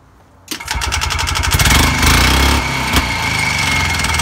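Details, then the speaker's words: Harley-Davidson golf cart, two-stroke single on 40:1 fuel-oil mix, small turbo muffler fitted loosely unclamped: fast loud chopping beat with low drone; quieter than before but exhaust still loud. "so here's with the the little turbo muffler that's what it sounds like it's kind of a low tone to it"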